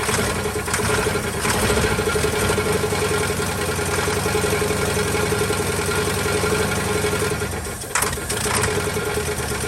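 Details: 1949 Ford truck, Thunderbird 312 V8, sat about 45 years, cold: loose uneven idle beat dipping near the end; won't run on gasoline, carburetor apparently not plugged, owner suspects low compression.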